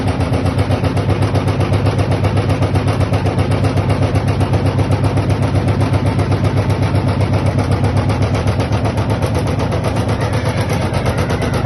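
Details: LG washing machine: steady, heavy rattle pounding about two or three times a second while the drum turns, a loose or knocking part inside the washer.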